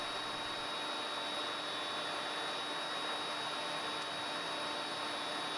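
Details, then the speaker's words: Three-phase motor of a combination woodworking machine run from single-phase 220V through a frequency drive, star connection, drawing about 0.8A: a steady high whistle over a smooth hum, normal SPWM carrier noise from the drive, motor fine. "Como veis, el motor hace como un silbido y no os preocupéis, esto es normal, esto lo hacen los variadores y es por culpa de la señal esta que os digo yo, la SPWM, y podemos cambiar la frecuencia de este sonido si fuese muy molesta, pero no es recomendable cambiarla"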